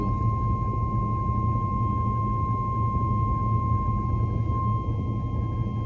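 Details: Oldsmobile Cutlass: steady, unbroken buzz from the dash warning buzzer stuck on; cause was a fuse a previous owner had bypassed by looping wire around it to keep it hot.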